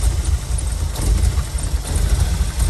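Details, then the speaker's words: 1987 VW Vanagon Syncro Westfalia, parked since 2001, running on starting fluid after getting harder to start: deep, low rumble, only slight waver, steady and strong; sounds healthy. Fault later found as a pin pulled out of the airflow meter harness. "Definitely that. I mean, that sounded phenomenal."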